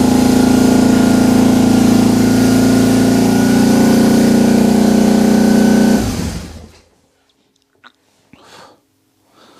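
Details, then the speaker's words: Cold start of a BMW R 1150 GS boxer twin with a little choke; a fast, steady, even high idle holds about six seconds then dies away. Owner attributes the hanging revs to a stuck accelerator cable. "that sounds like an accelerator cable is stuck no smoke coming from in there so that was probably just some stuff burning off last night but the bike started fine"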